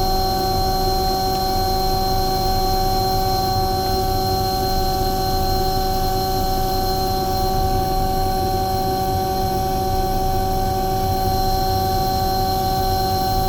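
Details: Omni/EconoHeat/Morrheat waste oil heater burner after cleaning burner and nozzle, setting 12.5: steady even roar, constant hum, no surging or sputtering; firing cleanly, runs really nice, startup smoke clearing.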